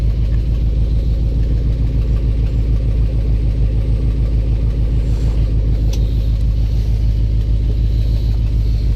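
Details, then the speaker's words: 1984 box truck, first start on old fuel with jumper cables: steady idle with a fast, fairly even tick about three per second over the low rumble; not like an exhaust leak, suspected cracked or loose flywheel or torque converter, unconfirmed. "it sounds like something like a flywheel like a cracked flywheel or a loose flywheel or torque converter or something like that"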